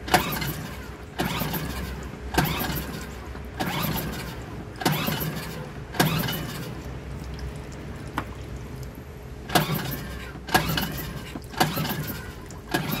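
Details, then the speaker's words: Suzuki DF2.5 2.5 HP outboard, long stored: repeated pull-starts about once a second, each catching briefly then dying, after fuel poured in; starting this way shows a fuel, not electrical, fault: carburetor not feeding fuel, problem between carburetor and fuel pump. "comprobado el problema es de gasolina porque si hubiera sido eléctrico no hubiera arrancado de ninguna manera Ya sé que el carburador no está inyectando gasolina al pistón"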